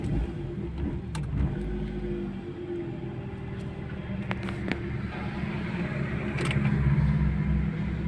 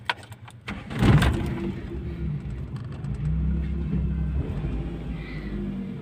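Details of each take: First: Toyota Corolla 16-valve XE with manual throttle body, idle tuned for gas, now running on gas (CNG): low steady idle around 1000 rpm with no knocks or hunting, idle correct. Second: Toyota Corolla 16-valve XE with manual throttle body, idle tuned for gas (CNG) but started on petrol: fast steady elevated idle around 1600–1700 rpm with no dip, high idle on petrol.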